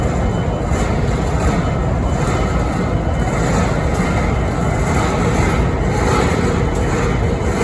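Loud, steady diesel idle with a rough, rushing undertone and no clear rhythm; something odd is present, cause not identifiable.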